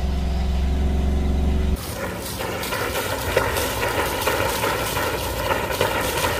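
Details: Fischer Panda 5K diesel generator after service and fuel-system bleed: fires after a loud cranking hum, then settles into a steady, even chug with water splashing behind; running normally.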